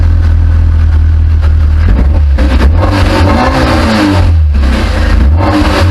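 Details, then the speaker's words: Classic Mini at first start after winter workshop rebuild and catalytic converter stud repair, revved gently late in the evening; loud strong exhaust note rising and falling with throttle blips, pulling cleanly; normal running. "It'd be rude not to start it up, give it a little rev for you, so it's pretty late in the evening. I better not rev it up too much, but obviously we can do now. So it sounds lovely, doesn't it?"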